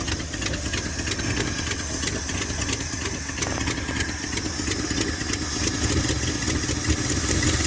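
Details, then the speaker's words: 1978 Dodge D100 step side after fuel pump swap: very low, lumpy idle with uneven stumbling beat, hiss and knock-like sound from an exhaust leak, smoking a bit; seems starved, cause not confirmed. "It's like it's starving. Smoking a bit."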